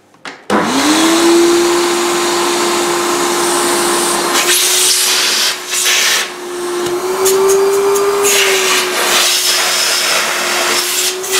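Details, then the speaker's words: Volta F1 vacuum motor starts with a steady hum and rough, gritty bursts on top from worn, non-serviceable motor bearings; the noise appears when the vacuum has not been used for a long time. "Okay, you are very close to the Volta, and now or never you will hear that bearing noise."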